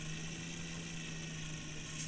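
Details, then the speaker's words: FMS Toyota Land Cruiser FJ40 RC crawler after replacing the worn drive dog bones with a better driveshaft: smooth, steady electric whine under throttle with no clicking or chatter, so the driveline now runs clean. "Listen to that. No clicking."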